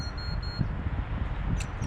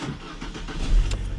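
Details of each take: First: Alfa Romeo Mito, 5-year-old battery, cold start: starter turns slowly and drags for several seconds before catching, voltage dropping to about 9V or lower while cranking; weak battery, replaced and new one starts strong. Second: Alfa Romeo MiTo in winter cold with 5-year-old battery that intermittently cranked slow and weak; voltage dropped to about 10.9 V while cranking; this clip is quick, strong cranking with the engine catching promptly.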